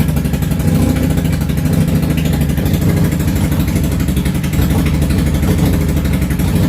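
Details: Yamaha V-Star 650 Classic, completely cold, choke off, after new fuel lines, fuel pump and carb work: loose, lumpy V-twin idle with skipped pulses. The front cylinder fires on and off, rear steady; suspected front carb fuel transfer.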